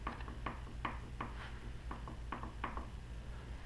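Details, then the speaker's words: Vintage Mopar differential, cleaned, pinion held by hand while crown gear is rocked: light even metallic clicks of free play; backlash measured at 0.007 in, within the 0.006–0.010 in spec; gears show good wear pattern. "A little bit of movement there. Hear it? That's good. I measured it, and I measured 7 thou. So I'm in the spec."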